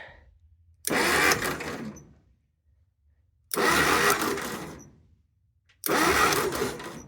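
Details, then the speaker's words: 1958 Willys DJ-3A Dispatcher with 4x4 conversion, long sat rotting, chilly November morning, cranked via jumper with spark plugs out: three short bursts of light, even whirring; starter spins engine freely, no compression, engine turns over. "It sounds like that because there's no spark plugs in there. So, there's no compression happening. It's spinning pretty easy."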